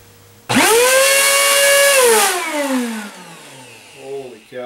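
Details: Eureka AirSpeed One vacuum cleaner running too loud: motor spins up to harsh loud high whine, holds, then winds down.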